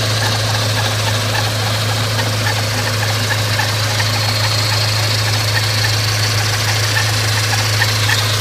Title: Scion FR-S Kraftwerks SC loud noise